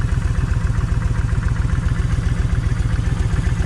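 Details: Kawasaki Vulcan 1600 V-twin, lumpy idle about 220 thumps a minute, stumbling beat, one cylinder missing; left cylinder's plug stays wet. Owner tests wires to tell bad coil from bad plug wire; still no difference.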